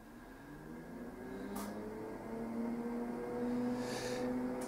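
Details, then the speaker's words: PDP-11/83 original hard drive at power-on: faint whine climbing in pitch as the drive spins up, then boot hangs with boot number stuck at 77; occasional fault, cause unknown, usually cleared by power-cycling. "I can hear that the hard drive spun up but we're not booting and you can see that the boot number is stuck at 77."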